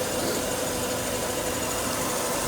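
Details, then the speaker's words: 1992 Mercedes-Benz W124 with random overheating, just reassembled with a new radiator, fan clutch, 87°C thermostat and reservoir cap, freshly started cold. Steady, even idle with a smooth hum and no knocks, ticks or misses; it sounds healthy. "well we got it all back together just started it out seems to be doing okay"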